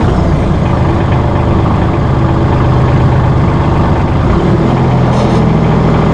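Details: Massey Ferguson 1739E compact tractor driving a RhinoAG TW25 3-point rotary cutter via PTO after hitch setup: even diesel drone with deep spinning cutter hum, no knocks or rattles; normal running.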